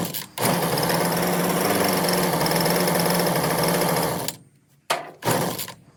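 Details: Husqvarna 125b two-stroke leaf blower held in a vise after fitting an aftermarket replacement carburetor, with the mixture screws about a quarter turn from closed; it holds a steady high buzzy drone for about four seconds, then shuts off. Normal running.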